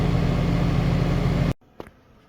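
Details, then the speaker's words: Outdoor unit of a 2-stage central AC at a rental property, previously miswired so it wasn't running, running at about 15 amps; steady low hum and even compressor drone for about 1.5 s, then it cuts off; normal running. "I plugged the disconnect in and it immediately started running. So it was just miswired."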